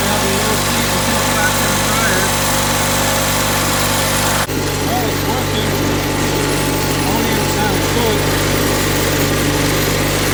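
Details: Onan CCKA twin in a Gravely 450 rider, first run after reassembly, light load: steady, even buzzy drone, no knocks or misses, healthy; clutch linkage needs adjusting and governor sluggish, throttle cable suspected.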